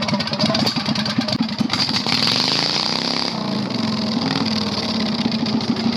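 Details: 670cc Predator V-twin go-kart revived after months sitting and carburetor repair; harsh, raw, crackling bark swelling and dropping with throttle, far too loud; running with no muffler.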